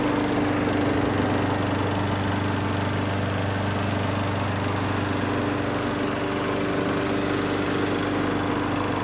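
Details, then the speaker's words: Craftsman lawnmower with a Briggs & Stratton autochoke engine, just fitted with a new aftermarket HIPA carburetor: it started on the first pull and runs a smooth, even single-cylinder note at steady speed with no stumbling or surging, running healthy. "i didn't pull the cord off camera and nothing beforehand that was genuinely my first pull with this thing and it starts right up"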